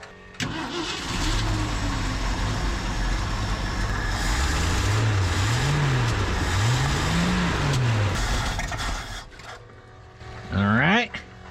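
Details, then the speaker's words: 1990 Ford F600 carbureted box truck, cold V8 idling after restart: low uneven loping idle with stumbles, still running poorly; a plug wire found with a cut boot, suspected dead cylinder. "I know she needs to warm up but it still ain't running the greatest now why are you upset it's your is it your exceptional plug wires like this one that I just discovered had a cut boot"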